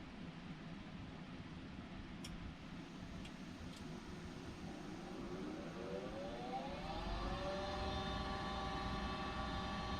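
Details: Goodman 95% AFUE gas furnace, first full startup of the heating season: steady hum, then the inducer spins up with a rising tone that levels off smoothly; a clean, normal pre-purge before ignition.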